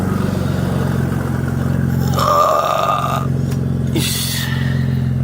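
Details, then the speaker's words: 2000 Audi S4 B5 with broken belt and open downpipe: deep, loud, steady exhaust drone with raw rasp and brief whine on a blip; loud exhaust from open downpipe. "kind of loud cuz of open down pipe"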